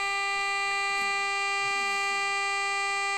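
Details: Homemade AM transmitter in a light bulb housing, modulated by a temporary low-tone oscillator, heard on a portable radio: clean, steady low buzzing tone at constant pitch and level; working, frequency now about 1,600 kHz instead of 1,400 kHz.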